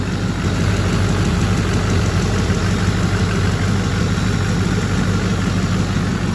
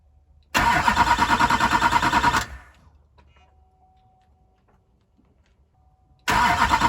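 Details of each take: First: Neglected LBZ diesel idling after a parts install and regaining fuel prime: steady, even low rumble with no knocks or misses, much quieter than before. Running normally; a glow plug check engine light is on. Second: Neglected LBZ diesel after a parts install: the starter churns steadily at about three beats a second, pauses, then cranks again with no start. Owner says the fuel system lost prime for an unknown reason.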